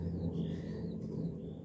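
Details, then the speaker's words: Trailer wheel hand-spun on its worn wheel bearing gives a low, steady rumble, with vibration felt through the metal. The other wheel spins quiet; birds chirp outdoors. "so if I spin it you'll hear that bit of a rumble in it and also if you hold on to metal around"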